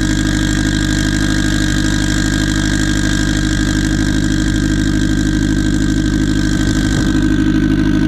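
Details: Freshly started turbo car on E98, rich on the low end, kept under 4 psi. Loud, lumpy idle with an uneven beat and a stumble near the end; tune is for a 6466 turbo with 1.05 housing but a Precision 7675 is fitted.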